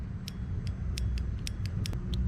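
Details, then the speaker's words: Fox Body Mustang fuel injector removed and bench-tested with a battery-clamp activation tool: crisp evenly spaced ticks, about two or three a second, over low rumble; injector clicks, working fine. "So, and what I liked about this, I can test real easy if the injector's even working. Hopefully we can hear this, but you can hear it click."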